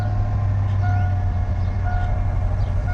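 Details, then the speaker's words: Truck at idle after fixing belt squeak, belt now much tighter; even low engine drone with no chirp or squeal; accessory drive quiet and healthy, though the owner felt it still started a little weak. "We got a working belt with no belt squeak as well. at all. So that's what the problem was."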